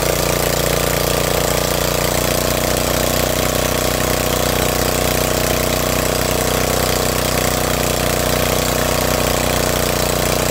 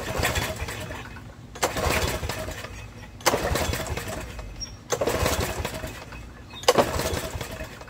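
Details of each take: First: Snapper riding mower that wouldn't start, running after carburetor filled, possibly not started in a while: loud, steady chugging idle with even beat, no misses or stumbles; healthy, smoke likely moisture/oil burning off muffler. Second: Snapper riding mower no-start, choke on, carb spray tried: four recoil pulls turning over without a single fire; carburetor later found full of fuel.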